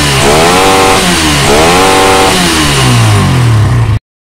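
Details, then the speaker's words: Suzuki Satria FU motorcycle starts and idles normally, but when blipped twice the revs sag and stumble instead of climbing; misfire under throttle, will not rev, carburettor already cleaned. "ini permasalahannya motornya enggak mau digas kita Nyalakan dulu nyala normal Tetapi kalau digas seperti ini ya"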